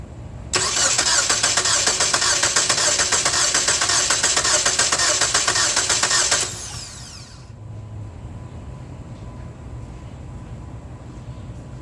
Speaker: did you hear how every third crank was kind of rapid that's because cylinder three has a mechanical issue